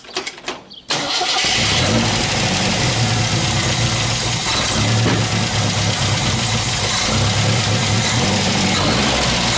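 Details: MGB special engine after tuning, started after pumping a couple of times. It cranks briefly, catches and settles into a steady, even idle with no misses or knocks, running clean and healthy.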